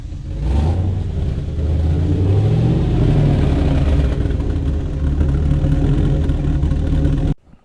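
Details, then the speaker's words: Suburban with 8.1L engine, both fuel tanks rehooked after earlier intermittent running: key start catches quickly into strong, even rev with deep steady drone, no misfire or stumble; fuel delivery now good, running properly. "so we're going to start it up here if I can turn the key there we go sounds like we got fuel"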